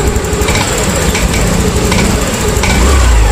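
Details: TVS Jupiter 110cc BS6 scooter: idles raggedly with irregular stumbles and dips, sounding ready to cut out; cuts off when hot and while riding; wiring, earth and battery checked fine; misfire from a faulty spark plug.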